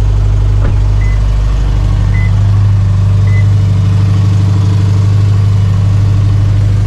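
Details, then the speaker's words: 2019 Subaru STI, about 650 whp on E85, twin-scroll header, cold idle at about 77°F ambient: loud even low rumble with raspy leak-like header note though engine runs smoothly; no exhaust leak found, header bolts re-tightened, loud only when cold. "definitely when it's cold guys this thing is so loud the only thing i don't really like about it because it sounds like you have a freaking broke ass car with an exhaust leak"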